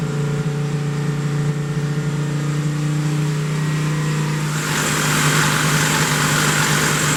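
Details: 1972 Plymouth Roadrunner 383 Magnum V8 with stock/RV-grind cam, break-in run (~11 minutes total) after 15+ months unrun, some smoking and bolt leaks noted: steady even high-idle drone, no knocks or misses, then a rush of hiss; normal fast idle.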